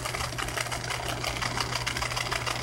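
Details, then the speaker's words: Washing machine in spin cycle with a failing drain pump: a harsh buzzing rattle over a steady low hum, where the pump should only hum almost inaudibly. "la bomba de acá está defectuosa por eso tiene ese sonido normalmente debería solamente zumbar casi imperceptible al oído pero ahorita está sonando horrible porque está muerto la bomba"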